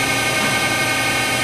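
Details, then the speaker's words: 2000 Daewoo DMV-400 vertical machining center, Fanuc 18M, 15 hp, CAT 40 spindle: even steady hiss and whir, axes traversing smoothly, spindle at 2,500 rpm with no tool so drawbar vibration audible; normal. "All the axes sound nice and smooth. It's at 2,500 RPMs."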